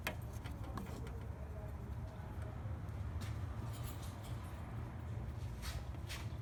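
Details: 2003 Mazda Miata NB at a stop light: low, uneven idle rumble with faint clicks, lumpy, shaking and close to stalling; owner plans to clean the idle air control valve, cause not confirmed. Rough idle.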